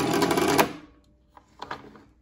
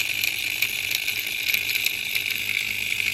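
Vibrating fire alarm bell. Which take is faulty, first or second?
first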